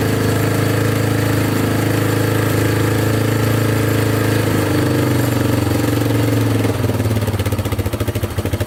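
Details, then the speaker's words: Yamaha Wolverine 350 4x4 ATV after a carburetor clean and fresh fuel; the single cylinder runs steady and revs out freely without the choke, though still smoking heavily; normal revving. "all right so it definitely runs a lot better with that carb clean um it actually revs out without the choke on now so that is fixed"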